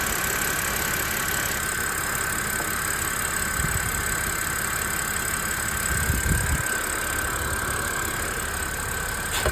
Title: Anybody knows where this whining sound comes from? Having an rough idle